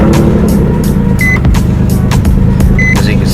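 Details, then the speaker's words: 2003 Nissan 350Z petrol V6 at idle: rough, uneven, choppy stumbling beat from a misfire; check engine light with P0300 random cylinder misfire code; owner plans to pull and clean the dead cylinder's spark plug. "so we'll start the car seat see what it sounds like engines misfiring"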